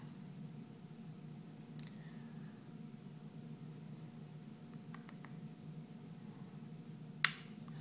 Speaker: in a couple of seconds you'll hear the programmer well you should hear the program make a little clicking noise